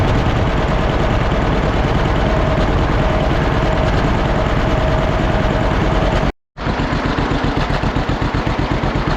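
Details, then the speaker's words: Old John Deere B two-cylinder tractor just started after carburetor float check: slow heavy putting, slightly uneven beats with a brief cut; idles a little rough, to be evened out, then good to go. "well the old John Deere V don't run too bad however I didn't need to work on the carburetor and it seems you want to run just a little bit rough got to get that evened out and it should be good to go"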